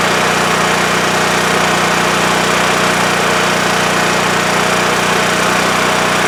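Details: WEN TF1450X 14500W tri-fuel generator, repaired after it ran 20 seconds then died losing spark: steady, even engine drone and constant hum, no surging or dying; holds speed smoothly, display shows 232 volts.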